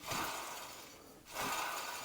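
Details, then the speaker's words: MG ZS 180 rear hub spun by hand during a rear brake overhaul, ABS ring slightly wobbly: dry, gritty grating rasp that swells and fades each turn; if the noise persists, the wheel bearings need changing. "then bearings need change. That's a bit bit noisy if you listen."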